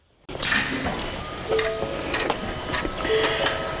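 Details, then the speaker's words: 2011-2021 6.7 Powerstroke after installing an injector return line repair kit: key on, engine off, a faint steady lift pump whir under clicks while the fuel system pressurizes for a leak check. No leaks found. Normal fuel lift pump priming. "so you can hear the fuel pump priming pressurizing the system there"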